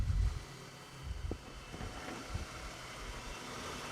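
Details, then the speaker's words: 2010 Ford BF Falcon wagon idling after replacing the water pump. It was clanky at first, then settled. Low smooth even idle, no squeal, chirp or clatter from belt or pulleys. Mystery noise fixed. Normal idle. "So I'm going to consider my mystery noise fixed, because that's just nice and quiet. It was a bit clanky initially, but it it's all settled in nicely now."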